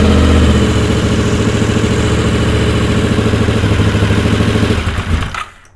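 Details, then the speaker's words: Honda VFR750 after correcting the swapped coil wires, carbs not yet completely full of fuel (owner blames the fuel cut relay): ragged, lumpy idle with uneven firing pulses, then it dies. Running on only one or two cylinders. "and then the next thing you know it doesn't want to run and it's only running on one or two cylinders and then boom kicks right in like you saw so that's what that was"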